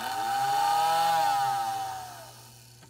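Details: American Flyer whistling billboard after disassembly and repair, powered by transformer: clear steady whistle held over a second then winding down, faint rattle from vibrating on the table; working properly.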